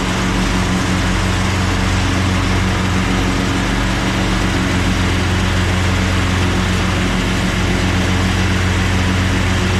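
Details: Craftsman push lawn mower started on choke after a split, loose part was replaced: a loud, steady low single-cylinder drone at an even speed for ten seconds, running normally.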